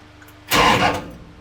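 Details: Hot rod shop truck (Dodge D100) with new starter and fuel pump relay kill switches on ground circuit: single short strong half-second starter bump in park, no grinding or chatter; starter engages and spins normally.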